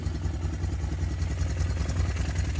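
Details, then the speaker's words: Honda Recon TRX250TE4 ATV that sat over a year, after a carb clean, fuel flush and a valve adjustment to cure ticking: steady, low, even thumping idle with no ticking; normal idle. "Gotta get these caps on and we'll fire her up, see if that ticking went away."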